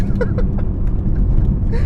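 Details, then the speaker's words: BMW E46 M3 SMG with new CSL carbon intake and plenum, CSL ECU tune and Super Sprint race exhaust, heard in the cabin under throttle; deep, loud, even intake roar drowning out the exhaust, no knocks or misses; healthy. "I feel like an asshole because the engine's so loud. I don't hear the exhaust anymore. So like that's another point. You hear the engine and not the exhaust in the car anymore."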